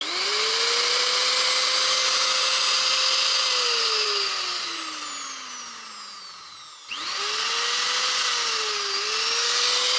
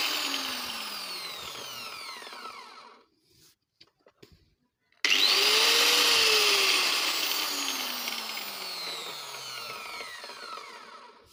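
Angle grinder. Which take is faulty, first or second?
first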